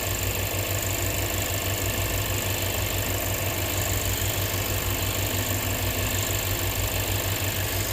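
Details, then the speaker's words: 2007 Lexus IS250, possibly jump-started backwards, crank-no-start with MAF, throttle and ignition coil codes, now running with lots of exhaust smoke: steady, even idle pulsing about three beats a second with no misses or knocks. "I got the car running there's a lot of smoke coming out of the exhaust pipe"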